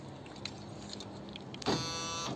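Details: 2004 Honda Civic VTEC with a rear door that won't open: door lock actuator removed and powered, giving a half-second whirring buzz with no firm latch clunk. The worn actuator motor spins but fails to move the lock.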